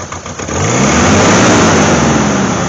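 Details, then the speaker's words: 1988 Jeep Wrangler 2.5 liter four-cylinder picks up unevenly when blipped with a lumpy beat; the two rear cylinders are not firing, cause still unknown. "these two back ones are not firing at all we found our problem now we got to find out why"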